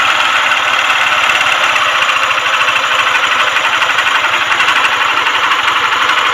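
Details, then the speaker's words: TVS Star City/Sport motorcycle, 82,000 km, weak battery so kick-started, before full engine rebuild: hard rapid tapping from inside the engine at idle keeping pace with rotation; connecting rod knock. "మెయిన్గా connecting rod sound అయితే చాలా వస్తుంది."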